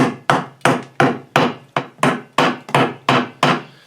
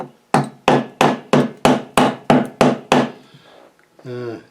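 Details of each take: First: Massey Ferguson GC2300 tractor wheel off, tire fluid-filled: sharp crisp hammer taps about three a second ring cleanly on a semi-hard section of the rusting rim with minimal corrosion, showing solid metal. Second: Massey Ferguson GC2300 tractor fluid-filled wheel: hammer taps about three per second ring clear on solid steel but sound duller and thinner where rust has eaten the rim away, meaning not much metal is left. New rims are planned.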